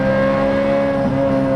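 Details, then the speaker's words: Ferrari 355 manual V8 after a full engine refresh, with Tubi, Larini and Capristo exhaust parts, accelerating in second gear with the exhaust valve open past 4,000 rpm. A smooth rising howl, no rattles, misses or blowing. Normal exhaust note. "with the exhaust valve open. And I've got to say, you can see by the grin on my face, oh my god, this is what a V8 Ferrari is all about."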